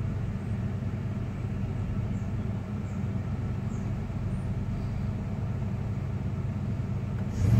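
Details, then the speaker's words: 1996 Dodge Ram 5.2 V8 just after a throttle body cleaning and new IAC valve: even low idle rumble with no stumble or hunting, then a brief rise at the end. It idles a little higher than before; previously RPMs dipped very low on throttle let-off. Normal idle. "So far, so good. It already idles a little bit higher than it did before."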